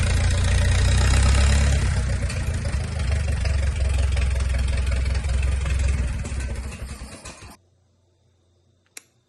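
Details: 1951 Farmall M tractor, first start after an engine rebuild with sleeves, lapped valves, a resurfaced head, set valve lash and a primed oil pump, coolant not yet connected; steady, even low chugging at a brisk idle before shutting off: healthy engine.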